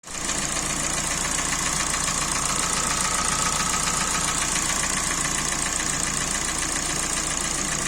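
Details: Kia Sportage 3 engine at 100,000 km, before teardown: steady idle with a hard, regular metallic knock riding over it at an even rate, from a scored cylinder.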